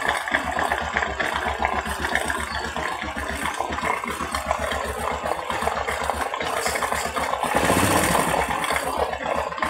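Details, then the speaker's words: Honda Supra 125 / Kharisma / Kirana engine after oil jet work: quick, even idle at about four beats a second with a light mechanical tick, idling up without throttle as it previously needed; normal idle. "ini kondisi Idul penolong udah naik tadi sebelumnya kita harus gas dulu baru dia olehnya naik"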